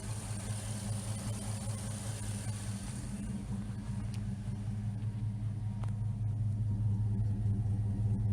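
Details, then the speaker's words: 1979 Firebird with 5.3 V8 swap and Powerglide, no AC, after ICT billet relocation kit and new injectors credited for smoother idle; steady even low rumble, no misses, knocks or hunting, healthy idle. "Other than that, this runs great. No AC. With a power glide, I think she'll do fine."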